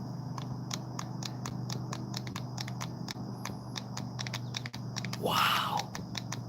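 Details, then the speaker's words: Brand-new motor, thought to be 1275 KV, from a Traxxas X-Maxx RC truck, after only two runs: sharp, uneven clicking of about three or four a second as the shaft is turned by hand, from worn motor bearings with shaft play. "that's not me making noise that's literally the shaft and the bearings wow listen to that even spinning it"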